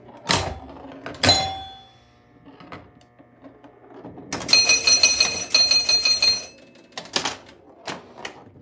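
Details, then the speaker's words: Grand Prix pinball machine after playfield rebuild: a few sharp clacks, then about two seconds of loud harsh rattling buzz, a mechanical noise of unknown source. "Got a loud noise there. Let's see if that noise goes away."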